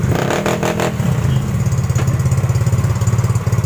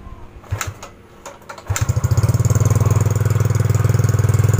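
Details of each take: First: Yamaha Mio GT automatic scooter after idle adjustment: even low exhaust pulses about three and a half per second, loud split exhaust, rear wheel not turning, idle no longer high; normal idle. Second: Yamaha Mio GT scooter: starts and settles into fast busy idle, firm even pulses about four per second; idle speed set too high, rear wheel creeps, before idle screw adjustment.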